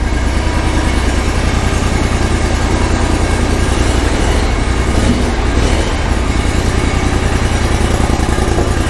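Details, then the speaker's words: Grasshopper zero-turn mower, freshly rebuilt Kohler CH25S twin with replaced head, first start on choke: fired right up without stumbling, settling into a steady, evenly spaced idle thump with no knock; normal idle while warming up. "let her warm up that fired right up that didn't even stumble wow"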